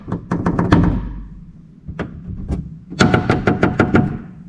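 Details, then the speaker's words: BMW E39 M5 sedan trunk lid rapped: quick hollow, buzzy thuds. The glue between the inner and outer layers has separated after years of vibration, causing the rattle. "so as you can see the trunk is welded on the outer edges but on the inside it has this glue or some ceilings and separated which causes the rattle"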